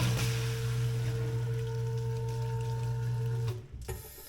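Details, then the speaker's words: Sump pump on a dual-pump system after a PumpSpy silent check valve was installed to stop water hammer from the internal check valve slamming; steady motor hum, then a clean shutoff with no clunk in the pipe. "Yeah, that did it, folks. No more clunk in the pipe."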